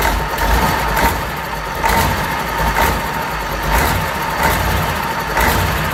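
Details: Fordson Major Perkins V8 diesel, first start after a long lay-up, no coolant in it: steady even clatter with a slow gentle swell about once a second; healthy regular idle.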